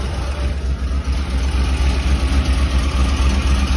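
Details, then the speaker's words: 2008 Ford 5.4 3V idling with heavy uneven chugging and a low lumpy pulse; foot off the gas it quits or tries to, in gear it bucks and chugs; one cylinder dead, severe misfire. "it has an obvious severe misfire put her in gear and it goes to bucking and chugging"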